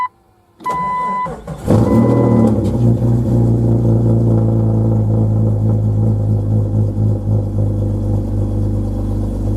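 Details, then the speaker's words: 2000 Jeep Cherokee XJ 4.0 I6 after coolant temperature sensor replacement: short crank, then a quick clean start that settles into a steady, even low idle. Before, it fired once, then died or idled low and stumbled. Now a normal start. "it's cracking better cranking better than it was"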